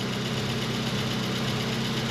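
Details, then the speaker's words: 1989 Volkswagen Cabriolet, first start after 2 years sitting in a field, after replacing a mouse-damaged engine wiring harness; smooth, even idle with great oil pressure and no knocks or misses; normal idle. "it sounds like it's running fine it's got great oil pressure I know I can't drive it very far because it has no brakes but it seems to be running perfect"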